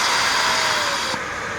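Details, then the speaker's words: Dyson DC41 curb-find vacuum runs with a strained airy hiss and faint falling tone; hose found clogged with debris, relief valve popping, other damage suspected. "Well, sounds like it might be a little clogged."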